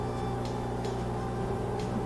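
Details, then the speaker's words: Whirlpool front-load washer with blinking door-locked light and unresponsive controls, after unplugging to reset: steady low hum with faint higher tone as drain pump runs nonstop; suspected blocked drain leaving it flooded, so it won't refill or continue cycle. "it's basically in a flooded state it's going to just keep draining drain's going to stay active and it won't it won't let new water in and won't continue the cycle"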